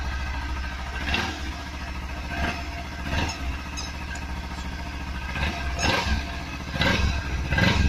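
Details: Kawasaki Z300 running: uneven metallic rattling bursts come and go over the low engine note, roughly once a second; the dealer diagnosed a broken catalytic converter rattling inside.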